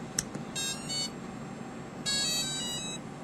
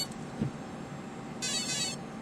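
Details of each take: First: Align ESC with a helicopter motor (main gear and pinion removed) on Futaba throttle channel three, powered up at low stick: two bursts of high musical beeps, the programming-mode tune, so the throttle channel is reversed. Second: Align helicopter ESC with motor connected, powered up at full stick after throttle found reversed: high steady half-second electronic tone followed by beeps reporting current programming; normal start-up initialization tone for flight.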